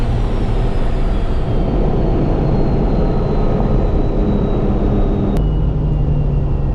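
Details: First-gen Cummins diesel truck, automatic transmission after over a year of extreme abuse, light throttle with locked shifts: steady pull then one clean firm upshift, no second-gear sponginess or slip; normal shifting.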